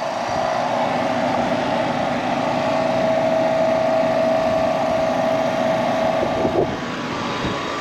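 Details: HVAC unit after reinserting breaker, fan running without tripping; smooth condenser fan whoosh over steady compressor hum, amps well below 21 rated, pressures about 130/380, no knocking or rattling, running healthy.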